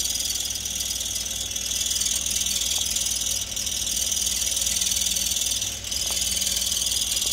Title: Chirping noise Yaris 2003